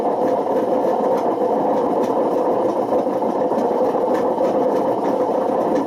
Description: this video demonstrates how dangerous running a Washing Machine with bad bearings can get. this got so bad it damaged the spider and put excessive wear on the motor.